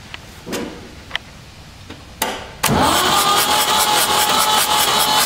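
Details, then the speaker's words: Ford 3600 tractor diesel, previously stuck engine, cranking with injectors removed: clicks and thumps, then steady even starter churning as the engine spins over freely with some compression pulses; engine now free, normal cranking. "so the engine's free it sounds like it's making some compression"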